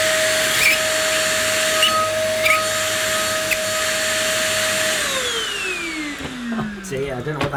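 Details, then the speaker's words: One Concept Pila bagless vacuum cleaner running: a steady high squeal rides over the motor rush, then slides down in pitch as it spins down; the squeaking is constant and its cause is unknown. "noise was it it was squeaking something chronic"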